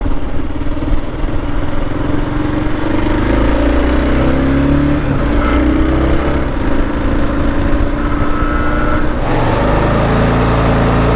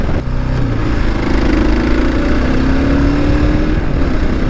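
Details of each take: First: Kawasaki KLR650 Gen 2 at about 3,500–3,700 rpm: hard metallic buzz over the engine from a newly fitted SW Motech skid plate vibrating, not the engine. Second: Kawasaki KLR650 Gen 2 single-cylinder running smoothly through mid revs with no buzz or rattle over exhaust, ruling out the engine; vibration blamed on the SW Motech skid plate.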